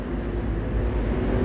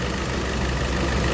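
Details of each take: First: Hyundai Santa Fe petrol, just started, oil very thick and not reaching the upper engine: loud constant metallic rattle over idle, blamed by another mechanic on pistons but diagnosed as timing chain noise from sludged oil. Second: Hyundai Santa Fe petrol after timing chain job with crank and cam timing marks reset, following engine noise: smooth even idle, no ticking or rattle; noise gone, sounds perfect.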